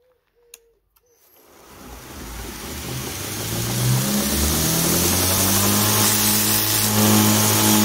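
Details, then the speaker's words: DIY 2x72 belt grinder with a 2 HP motor on a VFD: the motor winds up to a steady hum with a faint tick about twice a second. The tick comes from the badly glued, overlapping seam of a Chinese belt and barely affects sanding. "it makes this St t t t noise that's actually from the Chinese belt because these are glued together very very badly they're overlapping and you can hear it it makes that noise"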